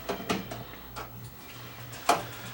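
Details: Breville Smart Convection Oven that stopped heating; a few sharp relay clicks with no element hum following as timer comes on; burned open relay solder joint.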